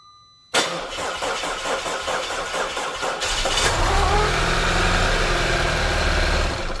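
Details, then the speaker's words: Audi A4 2.0L turbo on its first start after major repairs, with no coolant in it: the starter cranks about three seconds, the engine catches and runs briefly, then the ECU shuts it off because it detects low coolant. "Alright, you can hear that little crank starts fine. The ECU turned the engine off right away automatically because there's no coolant. It detects no coolant, so it's gonna telling me that it's low on coolant, so it shuts the whole engine off for the safety."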